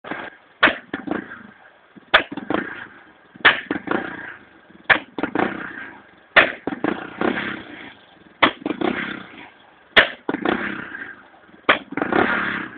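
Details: Honda EX5 small single: sharp irregular pops and cracks break up the engine note every second or so; misfiring and popping through the exhaust with blue flame.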